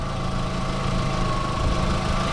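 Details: 2004 VW Golf 2.0 idling after the new A/C belt install (old cracked belt had squealed with A/C on), compressor off; seems quieter. Steady low hum with a faint even tone and no belt squeal or chirp: normal idle.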